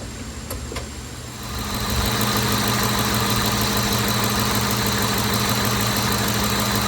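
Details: Ford F-150 just after an AC compressor replacement, with the belt reinstalled, no refrigerant, and the clutch pigtail unplugged. After a short crank it settles into a steady, even idle with no knocks, squeals or belt chirp. Runs smoothly.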